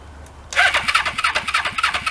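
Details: Motorcycle first start after relocating coils under tank: quiet, then catches within a second and settles into quick even pops; clean healthy start.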